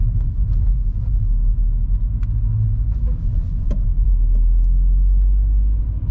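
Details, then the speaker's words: VW Golf Mk5, about 50,000 km, on a road test after securing the fuel hoses inside the frame with cable ties: even low road rumble with no right-side cabin rattles; rattle fixed. "the noise is gone. So let's call this job done. No more weird rattling noises coming from the inside of the car."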